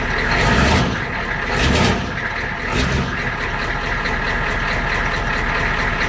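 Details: 1993 IDI diesel truck, stock injection pump before turning up the fuel: brief crank, catches and settles into a steady low clattering idle with even rhythm; normal start and idle.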